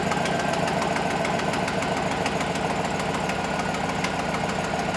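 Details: 2007 GMC Yukon 5.3 on first start after an oil prime with a priming tool, with about 45 psi oil pressure and the AC kicked on. A noted exhaust leak is present. Steady idle with light, even ticking and no deep knock. Normal idle.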